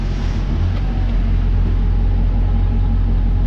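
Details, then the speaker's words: LT1 Chevrolet Caprice/Impala after replacing #8 rear spark plug with cracked porcelain and gapping plugs: deep, steady V8 rumble, no stumble, skip or popping; now running on all eight cylinders. "that sounds perfect I think it's finally running a it should be it really should be"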